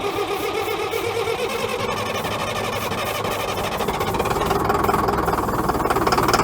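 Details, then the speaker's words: Caterpillar 922B loader diesel that sat over a year, started on ether: ragged, uneven clatter that never settles, running about 80% on ether and barely on fuel; fuel starvation from air in the fuel system. "all right so the engine does run you guys heard it fire up there trouble is it was only running well not only running I'd say it was running 80% on ether it took off just a little bit on the fuel"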